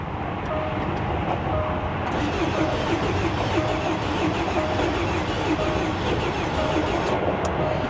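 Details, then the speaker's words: Bentley Flying Spur salvage car, 107,000 miles, jump-started: rhythmic cranking about three beats a second that never catches. A compression issue is suspected; with throttle it later starts but won't keep running. "yeah so it sounds like it's trying to start sounds like a compression issue to be honest so we're not off to a good start but at least it's trying"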